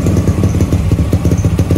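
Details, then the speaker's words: Supra X Daytona single with a new Yuasa battery after sitting long with stale fuel and a dead battery; carburetor found clean. Steady, even idle putter with no knocks or misses; running normally. "Dan ini dia suara dari Supra Daytona menggunakan aki baru. Dan gimana suaranya? Pastinya keren sih."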